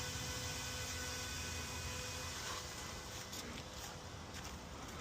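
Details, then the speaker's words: EV after DC/DC converter replacement, coolant purge in service mode: quiet steady electric hum with faint even tones, no grinding or cavitation rattle; coolant pumps running in sequence, normal. "Okay, so I hear it's doing the purge now. Coolant pump are running. There's one back here that's running."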